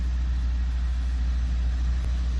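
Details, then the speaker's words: 2014 Ford Focus ST 2.0 EcoBoost with a cold-start misfire complaint, after about 30 seconds warming up: deep even idle rumble with no stumbles; no misfire counted once warm, issue mainly when cold, carbon suspected. "And it sounds great for an EcoBoost engine. And you can feel it in your hand. Feel in the car, kind of look at it, and tell it's basically not misfiring anymore."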